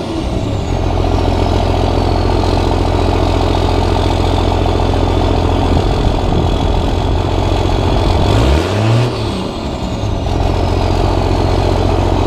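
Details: Cummins diesel truck at its first start after five engine upgrades (new injectors, hot rod VP44, Banks intake elbow): deep, steady idle clatter with one quick throttle blip that settles back cleanly; a little black smoke from the tailpipe. Normal diesel idle.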